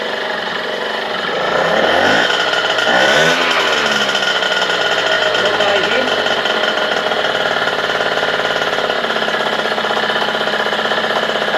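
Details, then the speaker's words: Small two-stroke 51 moped with a freshly rebuilt engine: it blips briefly, then settles into a steady, even, buzzy idle that holds well. The engine would not shut off afterwards, and the decompressor cable is suspected. "ça tient ralenti."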